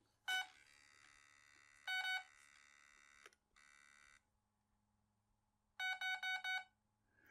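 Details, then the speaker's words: ESC throttle calibration on a Detrum DT 9 transmitter setup, throttle held full at power-up: short high beeps, then a quick four-note chirp confirming full throttle is learned; calibrated, motor without prop. "so that's all there is to that you're the little quick chirp and so now I've got it calibrated and ready to go"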